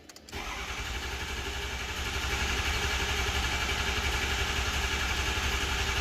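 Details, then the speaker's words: 2006 6.0L Powerstroke, 139,000 miles, after repairing a high-pressure oil leak at a torn standpipe O-ring: steady even cranking at about four turns a second without catching. Normal long crank while the high-pressure oil system refills. "anytime you disable this high pressure oil system you're going to have to crank it a lot it's going to take a while to get all the oil"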